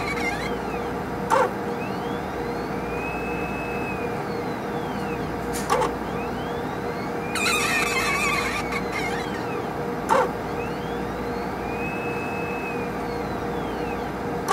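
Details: HPLC sample pump: a soft sweeping squeal rising and falling about every four seconds, sharp clicks at each stroke, over a steady hum; pump squeaking, cause not confirmed.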